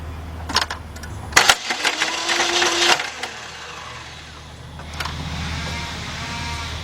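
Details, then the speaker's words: 2006 Saturn Vue 2.2, cranks but won't start, loud irregular clanking and backfiring heard near the engine; timing chain at the front of the engine suspected. "All right, now I heard a lot of clanking around. Now, if it would have started and I heard that noise, I would have automatically went down to the starter. But being that it didn't, I heard it backfiring, we got a little problem here."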